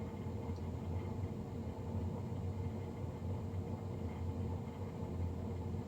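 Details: Navien NCB-240 boiler, serviced Jan 31 2020 and recorded Feb 3 2020: steady low droning rumble with a constant hum underneath and no change, the boiler fan running loud.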